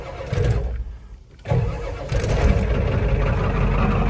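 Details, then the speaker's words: 1991 Ford F-350 IDI diesel, new Motorcraft glow plugs pre-heated six to seven seconds via push button, in neutral; brief crank, catches quickly and settles into steady even idle: normal cold start. "I didn't hold the starter down the first time, but yeah, she fires right up."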